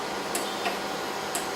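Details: Acquity lab system, seal wash pump priming as fluid reaches it: sharp ticks in pairs roughly once a second, the second tick softer each time; normal clicking during priming.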